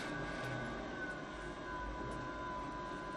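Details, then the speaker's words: FSP Champ 1 KVA online UPS with power cable connected and running: constant high whine over a soft airy rush, steady pitch; cooling fan is loud and annoying, said to get louder under load. "ürün çalışması yapılıyor ve bu ses yük bindiğinde daha dağıtıyor ve bu ses gerçekten rahatsız edici olabilir"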